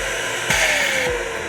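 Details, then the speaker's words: Dyson DC65 Ball upright with a no-suction complaint: steady motor drone breaks into a sharp half-second hiss as the bypass valve opens because of a clog or restriction in the airflow. "that first time I ran it you heard like that like that hissing sound come on my god that is the bypass valve so a lot of vacuums have a bypass valve that will turn on when the vacuum is experiencing a clog or some sort of restriction"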